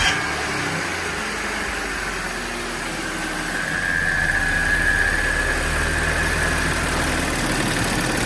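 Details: B8 Audi S4 after installing upgraded IE high-pressure fuel pump: even settled idle with steady hum, no stumbling or knocking; runs normally and drives better.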